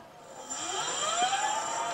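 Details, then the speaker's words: Sparta Maxx 70 e-bike with 48V front hub motor, after the broken phase wire was repaired with heat-shrink: on the thumb throttle the motor whine climbs smoothly up to 58 km/h with no stutter or grinding; normal hub motor run. "duimgas even omhoog zo kijk Ah dan loopt hij tot 58 km/u en dit"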